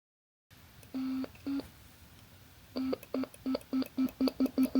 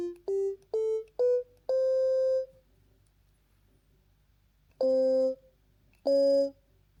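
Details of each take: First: DIY ESP32 Stylophone-style synth with an I2S audio chip and speaker, on its first hardware test. Short, low beeping notes each end in a sharp click because the code stops the tone immediately on key release, with no fade-out. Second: DIY ESP32 Stylophone-style synth with an I2S DAC. Short tones at rising pitches each tail off smoothly to nothing with no click; a clean release.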